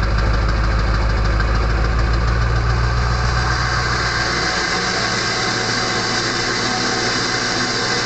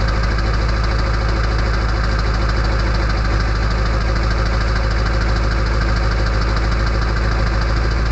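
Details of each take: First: Early 1999 Ford F-250 diesel, cold start at 34°F on high idle: once the exhaust back pressure valve (EBPV) closes, a thin, constant, loud whistle rides over deep, steady diesel clatter. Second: Early 1999 Ford F-250 diesel cold start at 34°F on high idle with the exhaust back pressure valve (EBPV) closed: loud, even diesel clatter at a fast, steady idle with no misses; normal cold start.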